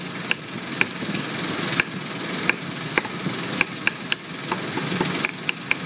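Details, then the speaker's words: 2001 Ford Explorer 4.0L with P0113 and MAF circuit low codes, idling while the MAF connector is wiggled: even, steady idle with a few sharp clicks, slight valve chatter, no skipped beats; fuel trims good. "You're just trying to see if you can get it to mess up. I mean, you can hear it. It's not skipping a beat."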